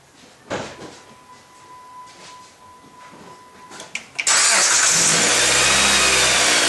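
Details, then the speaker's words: 2008 Dodge Avenger, engine running with the accessory belt slipped off the power steering pump: steady even hiss and the earlier rattle is gone, so the noise lies in the belt-driven accessories; the later fix was a decoupler pulley. "and as you heard the noise is no longer there so it's definitely somewhere in one of our assess ACC"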